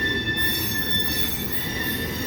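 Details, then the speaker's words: Continuous high piercing squeal in several steady tones over the low rumble of passing rail cars, at noon at 90°F. The hot rails expand and tighten the gauge, so the wheel flanges rub the railhead gauge face. "Well, when metal gets hot, it expands. That closes the gauge up somewhat. Anyway, that's the flanges of the car wheels rubbing against the gauge face on the railhead, causing that squeal."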